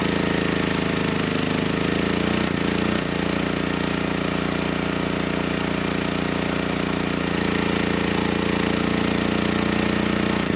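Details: Generac GP6500E generator, formerly seized engine now running, warmed up, tested outdoors under load up to 6,000 W near max: steady loud even drone dipping briefly as load comes on then recovering; 121 V held, 61 Hz to just below 59 Hz, distortion 6% to 16%; healthy.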